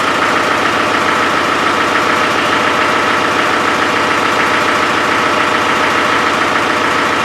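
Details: Land Rover 300Tdi diesel at even tick-over with an uneven, breathy puff; owner believes compression is escaping around the glow plugs; glow plug compression leak.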